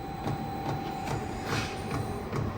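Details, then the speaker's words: Chinese diesel heater, first startup, exhaust still cold and not yet lit: steady soft ticks two or three a second over a constant fan hum as the fuel pump primes normally. "still priming itself for the feel of it"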